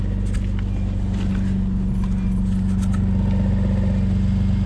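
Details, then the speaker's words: BMW S54 engine idling with the clutch engaged after a dual exhaust mod: steady low whine and light chatter about four times a second from the throw-out bearing, going away when the clutch pedal is pressed. "what i'm not into is the throw out bearing noise and kind of hear it whining and chattering"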